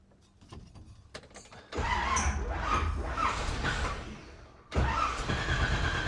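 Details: 1957 Chevy wagon barn find with a 454 big block V8, started after a new cap and rotor replaced the cracked old cap and the vacuum canister was adjusted (total timing about 36). A few faint clicks, then it catches with a loud rush, dips briefly and runs steadily: a normal start.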